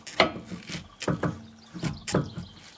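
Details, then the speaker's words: 2006 Mercedes C200 CDI, anti-roll bar worked by hand: repeated creaky rubbing bursts about two a second, rubber-on-metal squeak from worn anti-roll bar bushings; car squeaked heavily over speed bumps, bars last changed 2012, front and rear bars replaced. "pas le bruit, hein, c'est métal, et on entend le fameux grincement de caoutchouc sur la pète."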